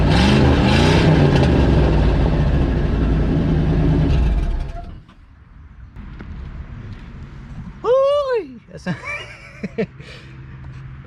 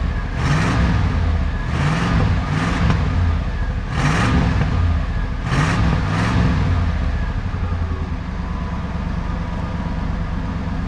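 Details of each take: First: Old Ford F-150 with a previously seized engine, running with the muffler removed and exhaust pipe clamp popped out: loud, raspy, throbbing rumble for about five seconds before shutoff; loud exhaust without muffler. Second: Old Ford F-150 V8, seized less than a month earlier, after correcting the plug wire firing order to 1-5-4-2-6-3-7-8: quick throttle blips over a steady idle, firing evenly enough, now running halfway decent.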